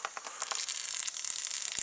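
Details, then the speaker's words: Triumph Spitfire MKIII after head rebuild, cooling system pressure test with air: thin steady high hiss with fine crackling as air escapes from the upper radiator hose. "And I found a leak. I was surprised and happy actually, because it's in a pretty easy spot to fix. So you can hear it hissing. It's coming out of this"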